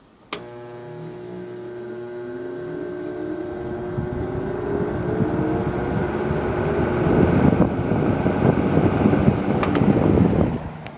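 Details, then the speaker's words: Knapp-Monarch All-Around 12-inch two-speed fan from the early to mid 1950s, start-up on high: motor hum climbs smoothly in pitch, then settles into an even rush of air; healthy, though owner notes it needs oiling as spin-down has shortened. "this is a two speed fan as I said before anyone's really really nicely it's the more it's got a really really beefy motor and its really strong"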